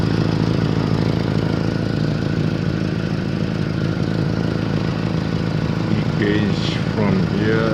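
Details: 1989 Honda Civic idling: a rough, uneven puffing chuff over the low engine rumble from an exhaust leak at the center pipe.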